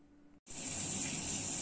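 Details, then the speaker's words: Ferroli F24B gas boiler, over 8 years old, after cleaning scale from the heat exchanger: with hot water running only a smooth, even rush of flowing water, no hum or howl; the noise came from the scaled heat exchanger. "после чистки теплообменника гул пропал сейчас включил горячую воду вода течёт греется видно по индикатору вот звука нет ничего не гудит не шумит причина была в теплообменнике"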